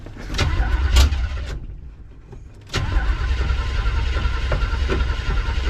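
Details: 1973 Chevy Nova V8, sounded fine previously; after rough start settles into heavy uneven pounding under idle, deep engine knock suggesting internal wear, needs an engine.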